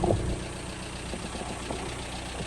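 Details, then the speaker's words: VW Caddy 1.9 SDI diesel with new ECU and immobilizer delete, started without the original key: low, even diesel clatter at steady idle with no stumbling or hunting; idling normally. "let's see if we can get it started right car starts with without the immobilizer"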